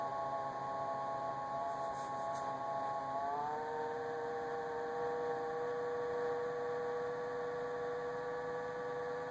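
Steady high whine that drops sharply in pitch partway through, then holds an even tone; fridge whining, cause not clear.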